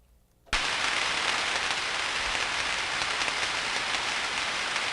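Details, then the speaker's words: Ultrasound recording of destructive electrical discharge with tracking (nitrates released): a steady frying crackle with irregular pops that never stops, likely tracking across switch insulation; pop spacing is far from uniform and amplitudes vary widely across the spectrum. "we can hear the popping and i'm going to look at the entire recording in this view and we can see differences right and if i magnify that the way we talked about earlier just pick a slice and time we can see the spacing is nowhere near uniform right the amplitudes are nowhere near identical across the spectrum"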